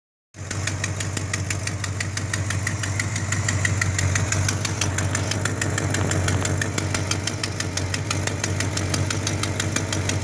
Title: Exhaust Leak